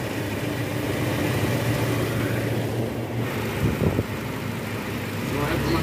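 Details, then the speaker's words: 2005 Toyota Innova petrol, 206,000 km, after repairing oil leaks from aged brittle seals: smooth steady idle around 800 rpm, no ticking, knocking or misses; idling normally. "RPM udah normal udah Idling nih sekitar 800"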